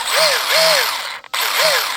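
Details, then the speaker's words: RC car before hitting a backyard ramp jump, about 100° heat, front axle knocked out: motor whirs in short bursts with harsh ratcheting chatter, car not moving; spur gear stripped. "As you can hear, it's obviously not doing anything."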